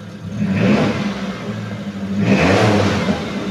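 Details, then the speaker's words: 2015 Mitsubishi T120SS 1.5 pickup, used. Revved to 3000 rpm: pitch rises and falls cleanly with no metallic noise, no piston or piston-ring noise, nothing suspicious. Normal engine revving. "kita geber sampai RPM 3000 aman suaranya enggak ada suara yang aneh-aneh enggak ada suara metal enggak ada suara ring seher atau suara seher e yang lain-lain semuanya itu enggak ada yang mencurigakan"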